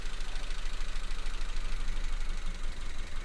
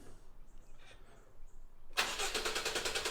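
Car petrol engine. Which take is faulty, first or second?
first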